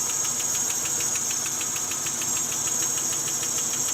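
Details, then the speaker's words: LS1 with 241 heads from a 2004 GTO, swapped into a drift car with headers: sharp, even ticking about six per second over a steady idle; seller thought it was lifter tick, now louder, possibly overheated, cause unconfirmed. "you know the buyer told me that they thought it was just a lifter tick it's definitely more now there could be issues with the lifters could be other things"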